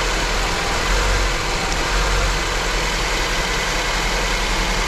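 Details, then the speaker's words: Honda with a second-cylinder misfire at idle: low, uneven, lumpy idle that stumbles about once a second. It persists after the injectors were replaced and injector power was checked, and the misfire lowers the idle so it runs even worse. "Nadal mamy problem z zapłonem na drugim cylindrze. Naturalnie obniży obroty biegu jałowego, przez co automatycznie będzie działać jeszcze gorzej."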